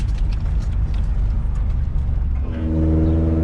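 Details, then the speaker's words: 5th-gen Honda Prelude, after fuel pump and filter work: low rumble struggles to pick up, then settles into a deeper steady drone as revs rise, still hesitating and bogging under throttle; owner suspects base timing, not a clogged exhaust, unverified. "It's still bogging. Yes, it's still bogging. So the problem is going to be in the timing, I believe."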